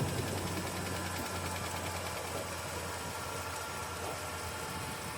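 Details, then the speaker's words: Truck that earlier left owner stranded, now starting right up in cold weather after a battery was put in (owner guesses starter had iced up): quiet, fairly steady idle with a soft low pulse, no clear knock or grind; running fine. "Can you believe Rusty leaves us stranded and then put key in it, put battery in it, starts right up."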